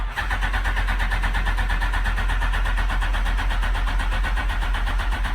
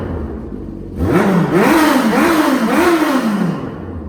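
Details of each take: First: Smart car with Phaser 1000 motor swap, cold start in neutral after fuel pump priming: starter switch stuck on, steady cranking about four turns a second that never catches; smells flooded, starter stays engaged. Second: Smart car after carb cleaning and rejetting: four quick revs rise and fall cleanly, each dropping back to smooth idle without stumbling or popping; normal throttle response.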